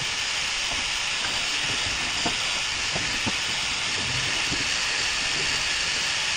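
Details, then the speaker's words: Steady sharp hiss with light clicks, heard from underneath the F250: air from a rubber stopper jammed in a spark plug hole escapes past an open valve until the engine is turned to seal the valves. "I'm sure hear it but I'm here underneath the vehicle but you should be able to hear that I'll turn this back a little bit until those valves seal up again"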